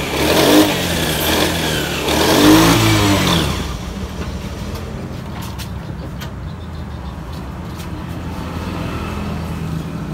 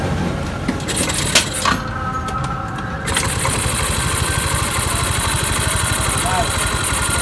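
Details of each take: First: Yamaha Mio 125 scooter with MIL code 15: engine blips unevenly and stumbles as it revs, then settles to a rough idle; code 15 indicates a throttle position sensor fault, to be checked. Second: Yamaha Mio 125 scooter after a misfire with fault code 15 (TPS), traced to a corroded green TPS signal wire, TPS set to 18: fires quickly and settles to a steady, even idle; normal after repair.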